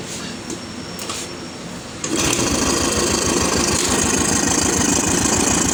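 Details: Royal Enfield UCE Electra (Bullet) single-cylinder after engine-noise repair, with head gasket, head, rocker arms, carburettor and silencer packing refitted: a few light clicks, then fires into a quick regular thump, no knocking; oil circulation perfect; healthy idle.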